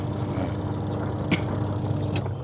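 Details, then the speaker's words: LG twin-tub washing machine test after reassembling the spin-dryer cover: even low motor hum with a faint steady tone, spinning smoothly without knocks or scraping before it shuts off. Normal spin motor. "ปั่นสั้นปั่นยาวอยู่นี่เนี่ยนี่ธรรมดาเราจะเอามาๆแหลกไปหน่อยเราก็หมุนมานี่ปั่นหมาดโอเคเนาะ"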